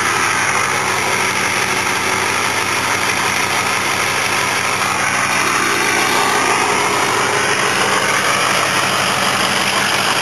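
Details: Ford 6.0 PowerStroke diesel truck, stored over winter, cold start with steady fast high idle, dense diesel clatter and faint whine on top; normal.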